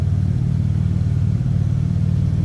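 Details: 1954 Plymouth Plaza Club Coupe after a cold start, heard from the rear through dual exhaust with glass packs: deep, steady burbling idle with an even low rumble and no misses or ticks; a healthy six. Normal idle.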